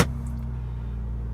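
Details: 1998 BMW E36 M3 sedan, five-speed, about 219K miles, ECU tune, Dinan intake, intermittent starting issues: quick catch, then smooth steady hum at constant speed with no stumble or ticking; normal idle.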